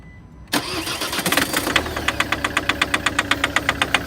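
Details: Diesel engine catches and settles to a sharp, even tapping about four times a second over the idle; a hard diesel knock.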